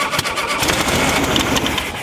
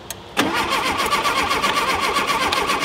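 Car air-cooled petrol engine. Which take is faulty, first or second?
second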